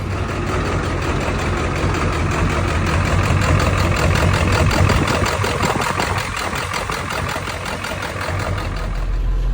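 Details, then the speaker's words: Ford F550 7.3L Powerstroke diesel just started cold using gasoline-soaked rags over the intake: lumpy, uneven idle pulsing about three times a second, surging at times. Running rough, cause unknown. "What I did to get it started was I took some gasoline, soaked some rags, put it over the intake, and it got enough fumes to get it to fire, but now it's running on its own, but it's not running good."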